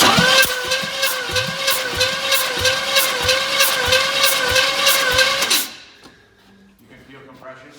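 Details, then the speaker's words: 1984 Chevy Blazer engine just reinstalled, cranked with no spark plugs fitted to prime oil: steady starter cranking with even compression pulses, no firing, engine turns freely; oil then begins reaching the rocker arms. Normal cranking. "everything seems to be turning okay any oil yet not yet"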